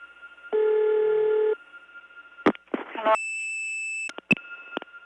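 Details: Early-1979 call through the Gainesville, GA step tandem to a ringing number in Cleveland: a buzzy ring burst and a mismatched tone; this St. Thomas-type ringing machine's low tone was replaced with one from another machine.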